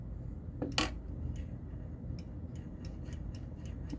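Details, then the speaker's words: Data East Star Trek pinball playfield, newly fitted rollover switch: a ball rolls over it with a sharp metallic click and a few light taps after, the switch registering cleanly and clicking perfectly. "is clicking perfectly okay so i think that's going to work that is freaking sweet"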